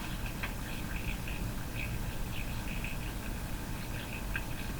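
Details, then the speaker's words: Canadian Northern Electric 1554 tube radio, warmed up on a variable supply at roughly 92 volts or a little higher. A heavy low mains hum sits under faint, smeared, unintelligible speech; the owner thinks the hum is intermodulating the audio. "so I think that's called intermodulation Distortion it's not Distortion in the usual sense inter modulation means the uh the the signal you're listening to is being modulated accidentally by something I think the hum is modulating the sound"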